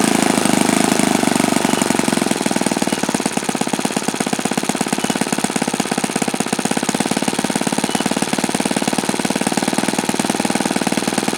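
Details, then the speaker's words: OS FS-alpha 110 model four-stroke glow engine, worn, just rebuilt with a new connecting rod and crank bearings: a steady, crisp buzzing firing rate with no misses, yet it tops out well short of the review's rated rpm. "because this engine just absolutely positively cannot come close to the rpm figures in that review article"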